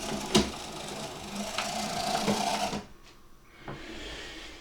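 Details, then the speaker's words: Second-hand Oxford Rail Class 415 Adams Radial 4-4-2T model locomotive whirring with a rough, scratchy buzz and stalling on points; dried-up lubrication from long storage is suspected, with a pickup problem also considered. "Maybe it has been sat quite a while. That's probably what the noise is. Dried up lubrication."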